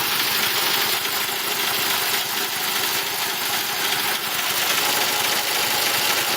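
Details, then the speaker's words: Quincy 220-volt electric air compressor running normally and building tank pressure, steady even hissing clatter, after a failed 30 amp fuse with no visible blackening stopped it starting. "So, yeah. So we're building air here."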